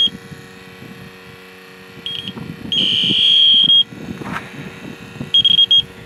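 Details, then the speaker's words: AC leak detector used on an '88 Jeep XJ AC compressor and its fittings gives high, shrill beeps in uneven, Morse-code-like bursts. A loose black hose on the detector is suspected of making it act erratically; not confirmed. "Sometimes if this black hose that's on the end of this thing isn't tight, it'll act spastic like the other one."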